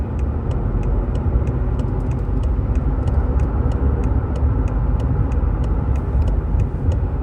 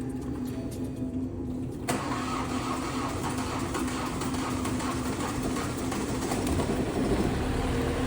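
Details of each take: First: 2019 BMW 530 (G30) after engine replacement following a coolant leak from the oil filter housing, on road test: steady, even engine drone under road noise with light regular ticking, no knocks or misses, no codes; normal running. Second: 2019 BMW 530 (G30) B-series engine, run with no coolant after an oil filter housing coolant leak, components melted from overheating: about two seconds of labored cranking before catching, then a rough uneven idle.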